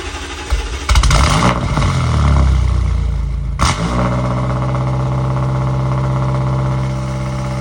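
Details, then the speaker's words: BMW M8 Competition at first start after fuel injector replacement and a fuel system adaptation reset. Cranks, catches with a rev flare, then settles into a smooth, steady idle with no misfire. Runs well, though a separate exhaust leak is suspected. "She is running. Sounds like she's running good. She's idling good."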